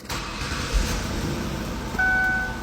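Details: Ford Taurus that stalled at stop lights, then would not start with the theft light flashing. After repairing a corroded white/blue wire feeding fuse pin one, the engine catches and settles into a steady, even run.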